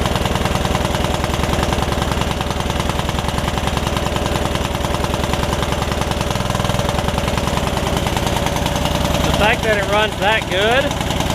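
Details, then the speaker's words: Yard Machines riding mower single-cylinder engine, revived after sitting with its air filter off and filling with water, runs at a fast idle with an uneven, lumpy beat and occasional stumbles. The owner suspects it is running a little rich; a rust cloud comes off it, and the valves were not yet gapped. "it's still got a little bit of a something going on but i'm not sure like it's running a little rich or something"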